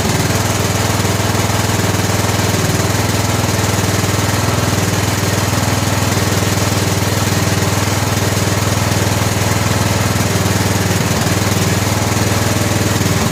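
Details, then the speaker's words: 2000 Scotts lawn tractor with a Briggs & Stratton Intek 17 HP OHV engine, before replacing the spark plug: fast, rough chatter with occasional uneven pops through the exhaust; misfire popping. "so she's still popping a little bit I wonder if it's more of a Mist than a pop maybe we got to just throw a spark plug in a real quick see what that does"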